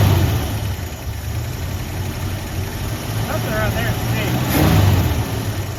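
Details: 1973 Ford F100, 302 Windsor V8, 3-speed column manual, sat 16 years, first start: fast, rumbly idle where revs climb and linger, dropping back only after a throttle blip; high idle hanging up, cause unconfirmed, owner suspects fuel pump.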